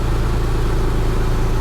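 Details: Porsche 911 Carrera 996 after alternator replacement: steady, even low idle with no knocks, misses or whine; charging around 14 volts. Normal idle.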